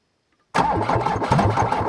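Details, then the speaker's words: 1981 VW diesel truck, first start in a year on a ten-year-old battery, glow plugs cycled, in neutral: rhythmic cranking without firing because the fuel shut-off solenoid isn't powered. "so oh I know wasting my cranking got to have the fuel shut off solenoid got to have fuel"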